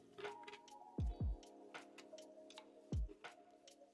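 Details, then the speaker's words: Bambu Lab A1 or P1S 3D printer in for repair, loading filament: irregular dull clunks, some in close pairs, about once a second over faint motor hum; extruder skipping, machine needs repair. "not certain if you guys can hear that. The extruder is very upset on this machine. So, all right, this machine actually needs some sort of repair."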